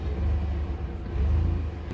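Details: Chevrolet Blazer just after starting on a desulfated battery (Noco Genius 5) refitted and secured; low, steady rumble, even and unbroken with no stumble, engine running fine.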